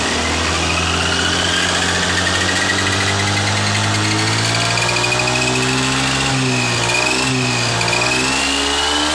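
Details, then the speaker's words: Honda Scoopy FI scooter revved through mid to high rpm with a clear whistling, buzzing whine rising and falling with the engine, from worn components in the final drive gearbox near the CVT; persists after a replaced part. "jadi suara-suara gending yang saya maksud seperti itu kawan-kawan ketika dicat pada RPM menengah keatas maka akan terdengar suara seperti suara nyaringnya"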